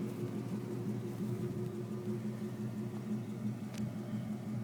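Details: 1999 Ford F-150 at idle, heard walking around the truck: soft regular puffing tick about three times a second; exhaust leak.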